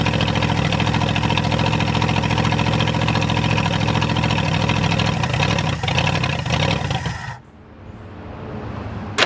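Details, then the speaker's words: 1967 Ford F100 V8 on its first start after sitting 29 years: fires and runs with an uneven, lumpy beat for several seconds, then shuts off; rough running, carburetor suspected. "well everybody you can see that she will run she did run um I think one of the things that's against me right a second is that carburetor"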